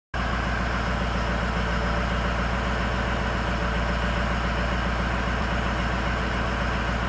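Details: High idle on an engine with poor cylinder balance, cylinder 8 cut out: loud steady rumble with an uneven, lumpy pulse, as if one cylinder is dead and not pulling its weight; misfire suspected, not confirmed.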